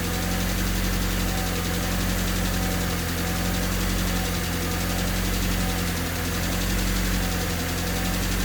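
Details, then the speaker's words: Honda Civic with swapped D16Y8 four-cylinder, just after valve lash adjustment to spec, not fully warmed up: idle slowly rises and falls, a hunting idle still present; cause not found. "It's still idling a little weird. It has a hunting idle."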